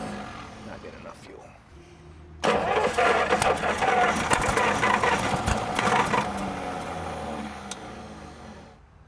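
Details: 1937 Buick Special straight-eight, sat neglected for decades and given a little fuel spray: the starter, engaged via the gas pedal linkage, churns at an even four pulses a second and the engine never catches. Cause not confirmed.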